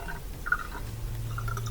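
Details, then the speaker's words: Dishwasher after removing a piece of glass stuck next to the drain pump impeller that blocked draining: water trickling, then a steady low pump hum with no grinding or rattle; drain pump running normally. "There we go, so we can hear it draining properly now with the sink."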